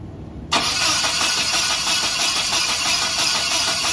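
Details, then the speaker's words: Same cranking no-start engine with new coil and battery, test light about three-quarter inch from coil output: uneven starter whirring, never catches; no spark from the coil, so coil power and the distributor igniter pulse are checked next. "okay so we don't have any spark coming off the ignition coil either so first thing we have to figure out is does it have power and does have a pulse coming from your igniter inside the distributor"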